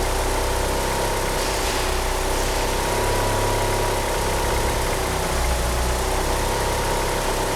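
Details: Car fitted with 850cc injectors, at idle: an uneven, loping idle that hunts and stumbles, with a faint squeal from the slipping power steering pump belt. The car won't rev up. Rough idle, likely overfuelling.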